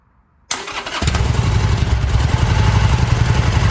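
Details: Harley-Davidson Sportster that wouldn't fully start after four months of cold-weather storage, jump-started with a car/motorbike battery jump starter kit; brief crank catches within half a second into a strong, even V-twin idle; clean normal start.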